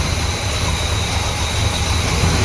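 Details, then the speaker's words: 1972 Buick GS Stage 1 SunCoupe V8, sat about 6 years: lumpy, uneven idle with heavy low rumble that stumbles and surges; runs only seconds, wakes up with brake-clean spray; suspected throttle plate gasket, carb sent to builder. "Something's not right on this thing,"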